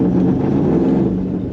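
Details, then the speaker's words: 1970 Chevelle with a 1996–97 LT1 V8 (iron heads), during a 0411 PCM swap, idling cold: an uneven, lumpy rumble that sags and stumbles. It clears with a little throttle and doesn't happen warm. Possibly injector offset; likely needs a cold-start adjustment. "so cold start is kind of junky on it but it is what it is it clears right up though like and it it might be like the injector offset look like being a little different you can hear it"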